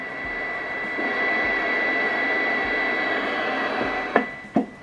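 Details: Galaxy Saturn CB radio on the bench at power-on, display faulty: steady high whistle near 2 kHz over receiver hiss, caused by the frequency counter interfering with reception.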